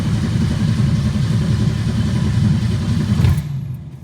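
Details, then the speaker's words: 1962 Ford Falcon, carburetor with manual choke, electric fuel pump: starter cranks steadily about three seconds without firing; no fuel at the carburetor, needle and seat possibly stuck; cranking no-start. "Alright, so there's no fuel up there. I wonder if the needle and seat are already stuck or something."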